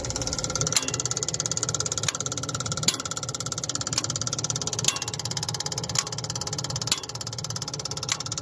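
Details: New Holland skid steer loader with intermittent no-start, heard at the starter with rear cover removed: fast rattly ticking under sharp clicks about once a second while cranking, from a worn starter motor bearing and faulty starter solenoid.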